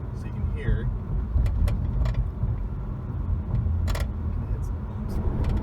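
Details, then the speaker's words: 2011-2016 Impala (9th gen), driving over bumps, trunk open: sharp uneven clacks from rear passenger side over road rumble, stop when e-brake pedal lightly pressed; slack rear passenger parking brake cable flopping around. "there's an issue that i had a couple years ago where going over bumps you hear like a clacking noise coming from the back from the back passenger side"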